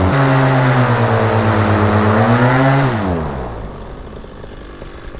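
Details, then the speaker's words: Paramotor two-stroke engine after carburetor tuning: a steady high buzz drops smoothly to a settled, slightly high idle without stalling, propeller not spinning. It is no longer trying to die, showing the low jet is working well and carburetion is clean. "It's not trying to die anymore. That means the low jet's working good."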